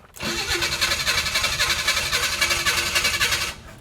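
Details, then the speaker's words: Abandoned 1968 Chevy Impala four-door, long sat, restarted with key, smoky, oil light on: cranks briefly, catches and runs fast and rough at raised idle; high idle, owner suspects carburetor or missing vacuum line. "The carburetor definitely needs help. Um it's running away while idling real high."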